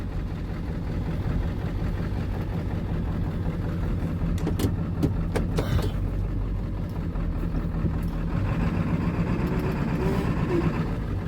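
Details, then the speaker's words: 1995 Ford F-350 7.3L turbo diesel on an old cold start after sitting since about May, with no coolant in it: steady low idle with even rumble and a few brief clanks, otherwise settled; runs well, probably just needed decent batteries. "Runs pretty good though. Probably just needed some batteries. Decent batteries."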